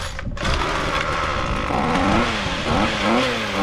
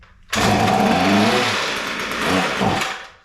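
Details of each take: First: Ryobi two-stroke string trimmer, once not running, now starting easily after repair, with the shaft gearbox still locked up: it blips up and down a few times, then holds an even buzzy run with no misfire, running fine. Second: Non-running Ryobi line trimmer, throttle held wide open with a short shot of spray in the intake: starts on the first pull, high buzzing rev about two seconds, sags and dies; spark and compression confirmed, fuel problem suspected (primer bulb and fuel lines needed).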